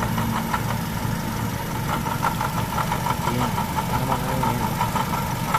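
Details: Idling engine with a grinding noise at the front: a rough, gritty rasp with light ticks from the belt drive (alternator, water pump, aircon, crank pulley or tensioner). Louder with aircon load; source not yet found.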